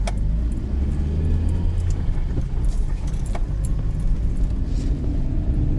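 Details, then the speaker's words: 2019 Lada Granta liftback, 47,000 km, driving over potholes after greasing the door lock mounting bushings that caused door pillar creaks: dull road thumps with no door creaking. A quiet body. "все где же more двери больше не скрипят проверено проверенная и на лежачих и на гравийке машине стало реально тихо"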